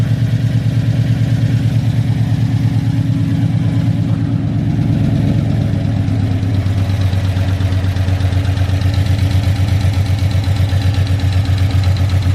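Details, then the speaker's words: Big-cam GM 5.3 V8 in a truck, first start after swap, warm but slow to warm up: deep lumpy loping idle about one pulse a second, running on only four cylinders because the DOD valley connector was unplugged. "That's why it was taking so long to frickin' warm up. Yeah, it's only running at 4."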